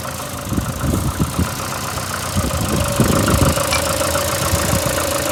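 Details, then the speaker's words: VAZ 2115 8-valve, rough idle: uneven mechanical knocking about three per second with faint rubbing tone. Began after cylinder-1 head gasket failure and fluid change; misfires cold, sound turns to rubbing when warm. Owner suspects worn valves; unconfirmed. "что-то стучит. Будто это чуть-чуть."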